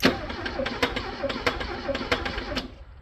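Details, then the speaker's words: Abandoned Porsche 924, first key crank after about 10 years sitting: uneven starter cranking with sharp knocks about twice a second that never catch, and a hot smell; the engine knocks as it turns over. "happens that doesn't sound good smells something hot okay so it knocks a little bit"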